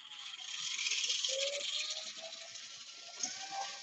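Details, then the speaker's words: Tamiya classic RC car, bench-tested through the ESC before final wiring: smooth, steady high whine with light gear buzz, no grinding or catching; motor and gears run smoothly with good power, normal. "smooth working like a beauty RC booters in the house man she's got a nice power"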